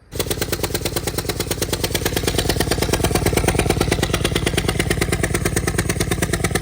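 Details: 2015 Ford Escape 1.6L EcoBoost, replacement engine fitted a year earlier, cylinder 4 misfire: loud sharp lawnmower-like puffing about three per second over idle; spark plug blown out of cylinder head.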